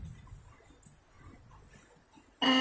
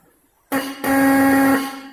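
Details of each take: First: Bike electric horn being retuned by loosening its adjustment screw: after a quiet pause, one short, harsh blast with a thin, raspy buzz instead of a clean note; mistuned, screw needs more loosening. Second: Bike electric horn after loosening its adjustment screw to retune it: clean, steady single-pitched honk about one second long, strong and even with no rasp or buzz; tone now correct.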